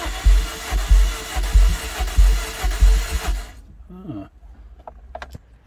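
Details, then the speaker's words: 53-plate MG TF non-runner with missing catalytic converter, cranking: uneven lumpy beats about ninety a minute, never catching; sounds like low compression, owner suspects. "i'm sure you'll agree that sounds like low compression that's low compression as it sounds like that"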